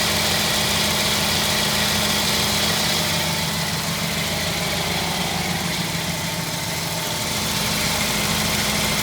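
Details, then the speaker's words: 1952 Ford F1 flathead, cold start after sitting 7 days, choke pushed back in: smooth, even idle with a steady low thrum and no knocks or misses; running healthy. "Hear that nice flathead sound is what we're listening to."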